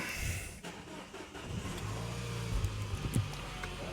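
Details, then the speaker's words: 2011 Peugeot 308 CC diesel with P0087 (fuel rail high-pressure regulation below reference), a power steering pump ECU internal fault and an under-voltage code; these are suspected to cause the rough running. Just after start-up the idle is low and uneven, with a stumbling beat and the odd thump. "so this will be the reason it's running rough let's just start it up"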